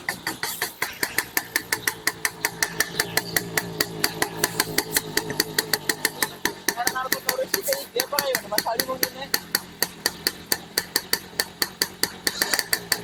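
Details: Restored, rebuilt Yamaha F1ZR two-stroke with standard CDI, pulser and magnet: sharp, crackling pops about five a second over a thin, uneven idle. The mechanic judges the ignition timing too far advanced.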